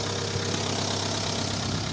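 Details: Petrol car idling after cylinder head gasket repair: quick light ticking from the top end, hydraulic lifter tapping; an additive and about 200–350 km brought no change; several clogged lifters were found and cleaning cured it.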